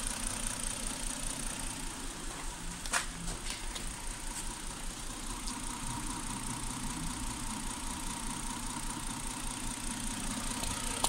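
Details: 2008 Hyundai Santa Fe at idle: low, lumpy idle with an irregular shake in the exhaust beat instead of a steady hum; ignition misfire traced to a faulty coil on cylinder 5, compared against coil 3 by oscilloscope.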